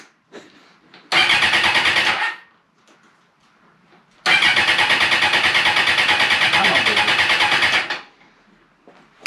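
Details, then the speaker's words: Suzuki Bandit 650S barn find, sat for two years, first start after clutch repair and oil change, battery trickle-charged, choke on: two long bursts of even starter cranking at about three turns a second without catching; fuel condition unknown. "What's the fuel like in it? She's trying."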